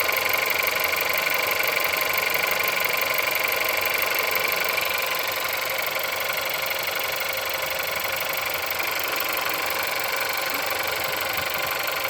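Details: Engine at 176,000 mileage, cold start: even cold idle with a regular, steady tapping knock roughly four a second throughout; engine knock, source unclear.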